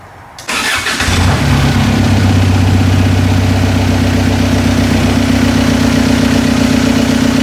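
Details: Toyota pickup with swapped TDI diesel, first start after head gasket replacement and injector priming: short crank, then catches and settles into a steady, even diesel clatter at idle with no misses or knocks.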